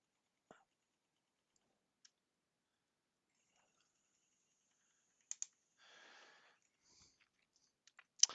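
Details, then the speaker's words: P900 camera after gearbox repair, zooming lens in and out: faint sharp clicks as lens cycles, one slight click at bottom of travel, no jamming or errors; possibly normal lens mechanism click. "Well, there is a slight one click down at the bottom, but that could be with the whole lens mechanism."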